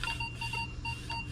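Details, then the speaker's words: Minelab Vanquish 540 with V8 8-inch coil over a ring at 8 inches: clean mid-high beep repeating evenly over low hum, no scratchiness; solid target tone, versus scratchy but diggable at 10 inches. "Okay, so really, you get 10 inches, you get a scratchy tone, but I call that a diggable tone. Solid tone at 8 inches."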